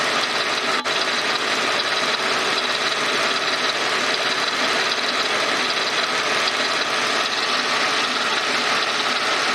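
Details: Mercedes SLK 32 AMG running with a hissy note and a faint, loosely regular double-beat "dadum dadum" rattle, distinct from the quick ticking. It is audible from 40°C, quickens with rpm and vanishes above a certain rpm. Cause not pinned down.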